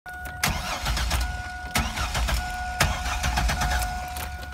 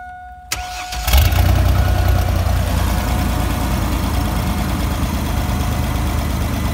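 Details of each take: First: 2000 Chevy Astro van with 4.3 L engine: the starter turns the engine over at an even, steady rate with no firing. It cranks but won't start, having earlier started briefly and stalled at idle; a failed crankshaft position sensor is blamed. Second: 2000 Chevy Astro van, 4.3 V6, after fixing a crank-no-start that had it stalling at idle (a one-bolt plug-in sensor replaced): brief crank, catches right away, steady even idle with no misses; starts and runs normally.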